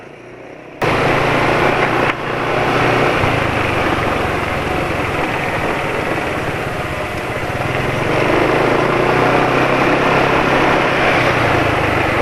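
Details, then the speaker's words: Motorcycle engine running mesran B40 oil mixed with cooking oil, owner thinks the oil is too thin: steady idle with a light, fast chattering rattle from the cylinder head, owner suspects head chain. Top-end rattle. "jadi ini suara yang terdengar sekarang suara kayak suara rantai yang katanya rantai yang di silinder head"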